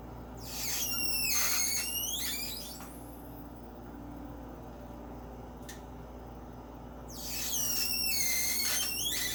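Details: Personal Chiller Nugget countertop ice maker, one day after purchase, making loud high-pitched squealing bursts over a steady low hum while making ice; cause unknown.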